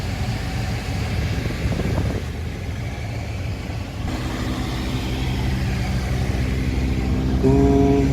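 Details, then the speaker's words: BMW F10 520D, in the cabin with A/C running before repair: loud rough whirring roar with a tonal hum rising near the end, caused by debris that got past a damaged, aged screen into the blower motor; blower motor replaced and screen repaired. "이 소음의 원인은 블로어 모터 쪽으로 이물질이 들어가지 못하도록 하는 거름망이 있는데, 시간의 지남에 따라 손상되어 이물질을 걸러주지 못하고 블로어 모터 쪽으로 이물질이 들어가 함께 돌면서 큰 소음을 발생시켰는데요."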